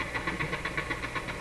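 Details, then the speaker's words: Nordmende Norma Luxus tube radio with low output volume and a weak-testing EL95 output tube, at power-on: a rhythmic chuffing pulse about eight per second from the speaker while warming up; output-stage noise, cause not yet found. "what do we hear coming out of the radio oh it sounds like my soldering iron but it's not on"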